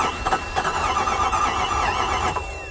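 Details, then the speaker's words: 1998 Jeep Grand Cherokee Limited 5.9 V8, 119,000 miles, abandoned 5 years, weak battery, about 133 rpm cranking: steady starter whir with thin squeal, never fires; spark, injectors, timing, wires checked fine. "all right so i've just been checking spark and injectors randomly everything seems to be good our timing is good our wires are good and it still doesn't start"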